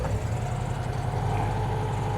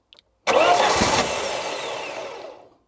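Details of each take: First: Classic Saab barn find, stored 32 years: steady, even low idle with a smooth beat and no puffing or chuffing from the exhaust. Normal idle. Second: Classic Saab barn find, stored 32 years, on a repeat start attempt: two bursts of cranking with weak, ragged catching that dies each time; the crew suspects it may need a bit more fuel. Cranks and fires briefly but won't keep running.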